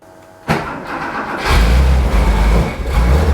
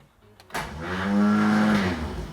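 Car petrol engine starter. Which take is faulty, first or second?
second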